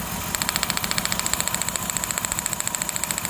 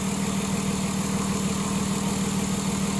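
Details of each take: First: 2006 Ford Taurus 3.0L V6 at idle: a steady, uneven beat with ticking three to four times a second, cylinder 5 dead (P0305, P0316); that spark plug was oil-fouled, and a power balance test confirmed the dead cylinder. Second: 2006 Ford Taurus 3.0L after misfire repair (codes P0305, P0316; cylinder 5 dead with an oil-covered spark plug, plug replaced), hot idle: even, smooth, steady idle with no stumbles; running cleanly on all cylinders.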